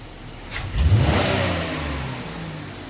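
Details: 2004 Buick LeSabre 3.8 V6 with rough idle and code P0102 mass airflow sensor circuit low frequency; snap-throttle check climbs crisply to high revs and falls back smoothly to idle without stumble.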